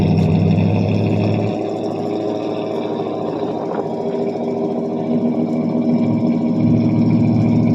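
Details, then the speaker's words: 1978 Pontiac Bonneville 301 V8 on a cold start after nearly two months sitting; single-chamber muffler, no cat. The idle sags and recovers as it struggles to stay running. The owner suspects a plugged carb idle circuit. "so there it is old 301 is she going to stay running for me H she's struggling"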